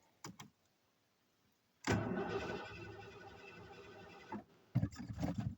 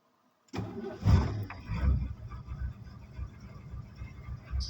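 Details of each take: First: Van with a 460 engine, fuel primed, throttle not stuck: several long bursts of steady cranking with pauses, never catching; crank no start, owner suspects no spark. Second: Ford van's 460 V8, primed with gas after a spark check, fires after a short crank, revs briefly, then drops to a low, steady burbling idle; normal start and idle, running like a top.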